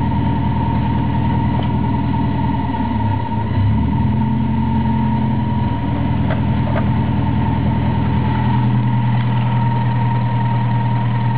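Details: Toyota 4A-GE small-port with T50 gearbox, just after a clutch replacement: steady idle with a faint shifting rattle and hum that changes midway; unidentified noise, owner says it's not the water pump or alternator bearings.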